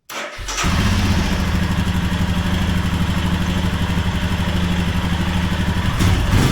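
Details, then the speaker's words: 2021 Royal Enfield Himalayan Euro 5, about 6,000 km, idling with a loose clattery rattle from the lower right of the engine, worse when hot; cause is a slack oil pump drive chain and gear sliding on its shaft. "the one we're going to do today is one of the loud noises I get is from down here uh lower part the engine and it's extremely noisy rattling and going into and what it actually is is the oil pump dry chain"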